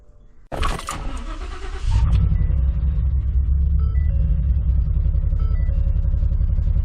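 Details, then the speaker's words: V8 tow truck just fitted with all eight new coils and plugs, idling: an uneven, lumpy pulse with a stumble every few firings and strong vibration. Still misfiring; two coils have melted in cylinder 5 and the owner suspects the wiring harness. "issue it's still misfiring I can feel vibration in the truck so still definitely got a misfire"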